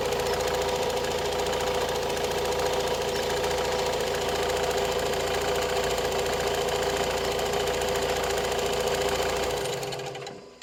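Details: Opel Astra J 1.7 CDTI diesel, a week after purchase from a dealer, idling: fast even light ticking about three to four per second over the running note; engine ticking, cause unclear.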